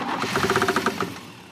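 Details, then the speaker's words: Cutlass long parked, after makeshift carburetor rebuild, spark confirmed: starter cranks with about nine quick, evenly spaced knocks, roughly eight per second, then dies away; prominent engine knock during cranking, cause unknown. "Something doesn't sound good. >> No, sir. >> I think that's what you call a knock."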